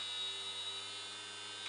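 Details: Small DC motor driven by an Arduino through an L293D H-bridge, speed set by potentiometer: thin, steady high-pitched whine over a faint low hum at an even pitch, spinning smoothly with no rattles; normal running.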